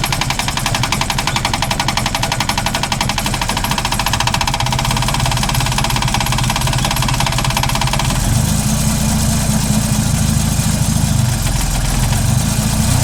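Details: Holden VL after distributor rebuild, set to TDC with timing light attached: loud, ragged running with irregular clattery beat and no smooth rhythm; runs badly, distributor/ignition timing suspected.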